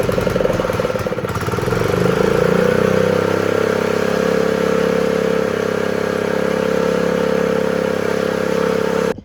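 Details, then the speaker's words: Honda GX120 after the faulty low-oil sensor wire was unplugged: it catches, revs up, settles into a steady, even run and shuts off cleanly. It runs better; the throttle was later found not working and the spring was moved to another hole. "Alright, so I went to start the engine, and it did run better, as you saw."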